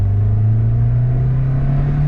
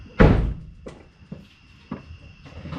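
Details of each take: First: Car after headers refitted and flex pipe deleted, curing long-standing drone, idling down: steady, deep, even exhaust hum with no drone or rasp; normal exhaust note. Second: 2005 Acura RSX Type-S after headers refitted and flex pipe deleted, oxygen sensors still removed: a few clicks, engine catches into a loud, raspy, puffing idle from open sensor holes; exhaust leak.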